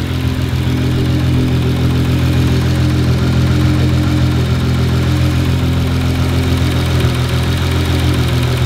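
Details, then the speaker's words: Turbo engine on speed density, idling after the blow-off valve spring was changed to a higher rate: deep steady rumble, no more fluttering, RPM dropping and holding solid. The valve had been open at idle; now fixed. "so if you've noticed the idle has dropped down and the uh blow valve is not open anymore no more fluttering"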